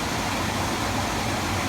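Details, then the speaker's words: Attic HVAC furnace blower after fixing a loud rattle heard through the return vents: steady, even whoosh of air, totally quiet with essentially no vibration, knock or wobble. "We'll give it a little test. Totally quiet,"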